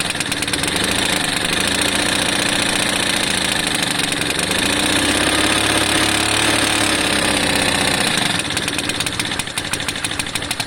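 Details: Lexmoto FMX 125cc single-cylinder motorcycle at fast idle: a sharp ticking puff on each beat that rises and falls with revs; owner suspects the exhaust is still blowing (leaking).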